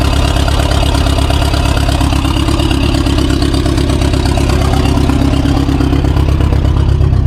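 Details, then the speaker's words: 2016 BMW 428i xDrive with a drivetrain malfunction warning and cylinder 2 misfires: a heavy, lumpy, loping idle about three beats a second, the car shaking with no power, oil present and smoking. The owner plans to swap the cylinder 2 coil. "The car was acting really funny. Is um the idle is really rough. The whole car is shaking. Has no power."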